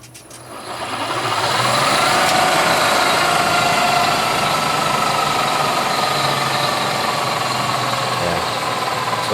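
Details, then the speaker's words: Electric BMW 320E conversion, Siemens motor on a newly connected Scott Drive controller, turning in reverse: a clean, steady whine at an even pitch with no shudder or knocking. The motor now turns smoothly. "at least it's turning and turning smoothly that's a big difference"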